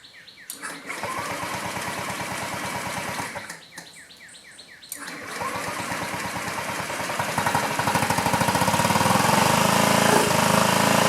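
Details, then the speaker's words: 2009 Honda Metropolitan scooter after fuel pump check and one-way valve test, fuel line in need of replacement and fuel gauge gasket missing: cranking bursts, then engine catches and fires in a rapid steady putter that builds speed as fuel reaches it again. "Hey, hey, hey! Progress."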